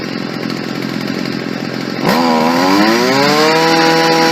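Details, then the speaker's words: Stihl FS 55 R trimmer after a carburetor install, during final adjustment: the two-stroke fires up and climbs lazily before settling into a steady buzz, still sluggish on the low end. Lean low-speed mixture, so the low-speed jet is richened slightly. "A little bit sluggish on the low end still. I'm going to richen the low speed jet just a little."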